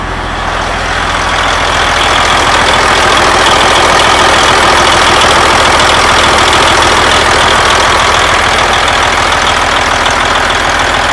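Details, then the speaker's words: Detroit Series 60 truck engine after an air compressor replacement, first start: loud, even diesel clatter at a steady beat of about three per second with no knocks or misses; healthy idle, no oil leaks seen. "Hey, what do you think, huh? Everything seems to be working right. I ran her up there pretty good."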